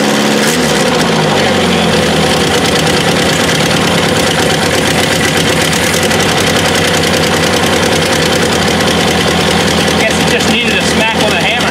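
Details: 1984 Toyota SR5 pickup, cold start after about five years sitting, after gas was added to the carb bowl and the fuel pump hit with a hammer: catches quickly, steady even idle with a bit of valvetrain clatter; running normally again.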